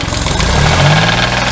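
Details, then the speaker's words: 1997 Geo Metro engine, running and driven after wire and fuse checks: engine note climbs with throttle and a loud rapid knock rides along under load, like serious bottom-end trouble; owner suspects spun bearing and likely needs a new motor. "accelerate you can hear it i don't sound good so probably gonna be looking at a new motor"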